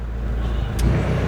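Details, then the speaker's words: Carbureted engine that stalled when AC was switched on, idle set to about 1,000 rpm with AC compressor clutch damper box fitted; low steady idle, one brief click as compressor cuts in, revs hold with no surge, dip or stall. "จะได้1,000นึงๆเลยนะครับแล้วก็เปิดเอสมาแล้วครับไม่มีกระชากหลับล่ะ"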